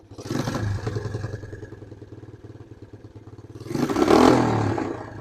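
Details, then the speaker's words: Suzuki LT160 quad bike, sat for 3 years, now running without an air filter, thumps steadily at idle with a clean throttle blip and no misses; the smooth running suggests the fault was a slightly loose fitting on the carburetor. "that actually sounds really really smooth I know we don't have a filter on there or anything"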